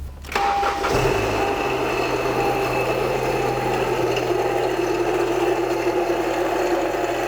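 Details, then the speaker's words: 2012 Honda Civic Si with non-working AC: engine catches and idles with a harsh steady screech and grind like nails on a chalkboard; accessory belt drive squeal from failed idler and tensioner pulleys and AC compressor. "So, you guys heard the horrible noise. It sounds really bad, like nails on a chalkboard. It's terrible."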